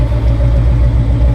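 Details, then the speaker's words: V8 truck moving slowly in a short back-up and pull-up: deep, steady rumble with an even beat and no stumbles or misses, running on all eight cylinders; exhaust smell normal. "Y'all see I just did a little small little back up and pull up with it, and running good, smelling good. The gas coming out of there smelling good, so everything seems to be right. Sounds like it's running good."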